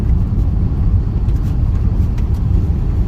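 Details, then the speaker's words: Honda Accord CU3 test drive over bumps and fast corners after new front tires, checking suspected lower ball joint creak: only steady road rumble and stone ticks, no creaks or clunks; normal suspension. "no I don't hear anything just Stones as I said Stones hitting the car"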